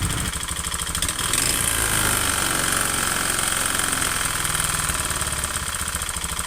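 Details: Honda Beat FI scooter with oil changed too late: rough, uneven ticking knock at idle, harsher on throttle, persisting with fan cover removed; piston slap, piston replacement needed.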